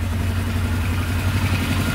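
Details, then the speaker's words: Polaris Sportsman 500 4x4 ATV after its no-spark problem was fixed. An even, steady single-cylinder idle with a low, smooth thump, no knocking or misses and no smoke; it idles as it should. "that is amazing it's idling perfectly no knocking at all sounds really good"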